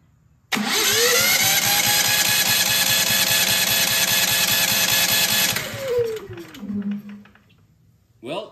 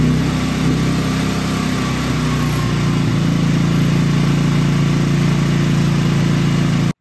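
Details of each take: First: Genmax GM9000iED generator, new spark plug just fitted, starter whirs steadily about five seconds then winds down without catching: cranks but no start; a metal plate was then found sticking out of the opened air filter. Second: Genmax GM9000iED generator after spark plug change, starting issues resolved by shaking the generator: restarted multiple times, smooth even drone with no misfiring or stumbles; normal running.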